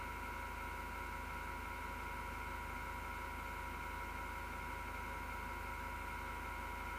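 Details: Six-year-old PC power-supply fan, grinding since December 2015; steady whirring over a coarse low buzz pulsing about twice a second, felt as vibration in the chassis; PSU fan bearing grinding, CPU fan fine.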